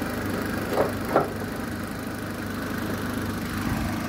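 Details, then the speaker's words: After repair, car runs just as when bought: steady, even idle with a couple of brief bumps early on but no knocking or ringing; engine sounds healthy, normal idle. "Boga, da vam kažem, fino radi. Tačno onako ko radi, ko što sam ga i prije uzeo."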